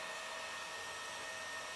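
Steady airy whir with a thin high hum on top; the cooling fan is touching its housing and buzzing through the case.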